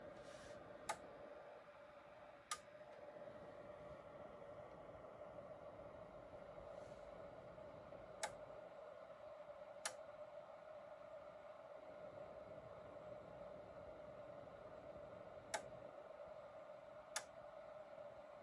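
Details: EcoFlow DeltaPRO on firmware 1.0.0.74 at dawn with near-zero solar input (0.10 W/m²): sharp relay clicks in pairs about every seven seconds over a steady hum, cycling faster than on previous firmware.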